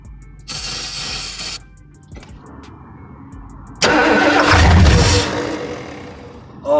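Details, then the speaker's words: 1968 Ford Thunderbird 429 big block that had been sitting, after freeing the cylinders and adjusting the rockers: two short bursts of firing that fade out within a second; it won't keep running; oil pressure unknown. "I haven't gotten it to keep running but that's kind of okay I think I don't know if it has oil pressure at all"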